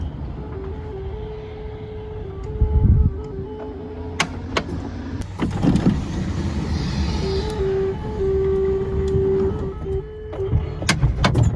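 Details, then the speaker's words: Oldsmobile Silhouette minivan power sliding door, a GM safety feature warning people to stay clear: simple repeating electronic chime over the door motor's whir, ending in a latch thunk; warning melody working as designed. "And Oldsmobile, General Motors, they were so worried about kids getting caught in there, hands getting stuck, limbs being chopped off, that they actually provided a sound that would sound every time the door was opening or closing."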